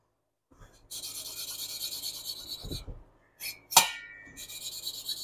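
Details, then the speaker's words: Hand-lapping valves on a 1976 Porsche 912E Type 4 2.0 cylinder head: soft, even rasping that quiets with no tonal change, meaning the valve is properly seated. "Once you start to hear it quieting down and there's no tonal change, that means that valve's been properly latched to that port."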